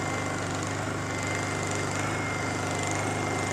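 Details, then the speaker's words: Generator started with choke on after reassembly repair, back in action: even, steady engine drone at constant speed with no misses, knocks or hunting; normal running. "let's test it out see if it runs turn this on choke it it up actually choke is already on huh turn it on that's back into action"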